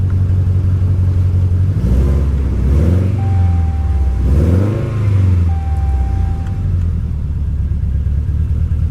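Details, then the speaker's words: Salvage-auction vehicle with flashing warning lights and strong raw-fuel smell: engine surges and sags unevenly, lumpy instead of steady idle, sounded like a slight backfire; running rough. "well that didn't run well it even sounded like it backfired a little bit yeah she doesn't sound good"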